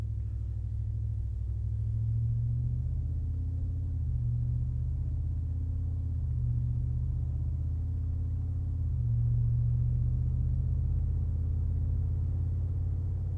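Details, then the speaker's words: 2022 Ford F-150 5.0L Coyote V8 with a Flowmaster Super HP2 muffler fitted, heard from inside the cab under gentle acceleration: a deep, even rumble that swells and eases, turning more aggressive as the gearshift drops rpm; a healthy exhaust note with no rattles. "I don't know if you're picking that up, but as soon as it shifts and it drops the RPM, the tone actually becomes more aggressive."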